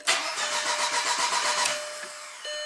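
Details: 2003 VW Passat 1.8 turbo manual, 150k miles, sat for a while, hard to start, often 5–10 crank attempts, code P0341 cam position range/performance: starter cranks with a quick steady chug, about seven beats a second, under two seconds, engine never catches.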